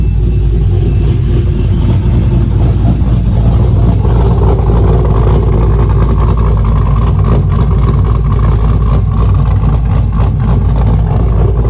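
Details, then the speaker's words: 2001 Pontiac Firebird Trans Am with newly built 6.7L LQ4 408ci stroker V8 and big cam, first start on a reworked HP Tuners tune: deep, loping, choppy idle; oil pressure fine, running better but still slightly lean. "so far it's running pretty good or running better at least it oil pressure looks fine still looks like it's running a little lean"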